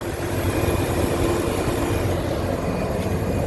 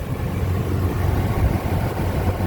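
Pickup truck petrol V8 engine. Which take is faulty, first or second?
first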